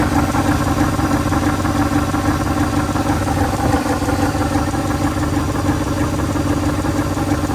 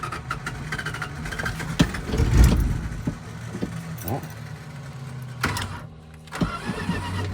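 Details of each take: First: 1983 Dodge D150 Prospector, parked 25 years, idles roughly with loose ticking puffs about three a second and no deep knocks; owner suspects an exhaust hole, possibly the water pump, unconfirmed. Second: 1983 Dodge D150 Prospector, 318 V8, parked about 25 years, first revival run: low, even idle settling after a few nearby bumps and clatters, with no knocks or misses and a compressor in the background. Normal idle.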